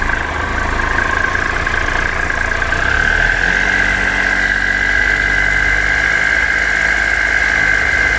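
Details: 2013 Triumph Tiger Explorer, 31,000 km, ticking cold and warm: steady idle with fast light top-end ticking and thin whine above; before dealer valve service, cause not confirmed.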